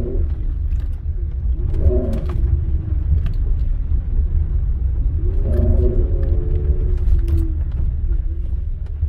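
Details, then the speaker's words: 2007 Honda Ridgeline circling at low speed under light load: a faint moan rising and falling on tight turns, worse turning right, absent straight ahead. A Honda bulletin cites the differential, fixed by changing the differential fluid; the moan eased after repeated circles. "that was turning it's right worse turning right but i heard it going to the left as well"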